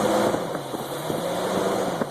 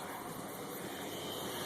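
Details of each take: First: 1977 Lincoln Continental at first start, running on old oil, fuel fed from a gas can bypassing the leaking tank: revs pick up quickly and evenly, no misses or knocks; very responsive. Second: 1977 Lincoln Continental on first start, fuel fed from a can bypassing the holed tank: steady airy hiss over the idle with headlights off, stops when headlights turn on; owner suspects a vacuum leak behind there.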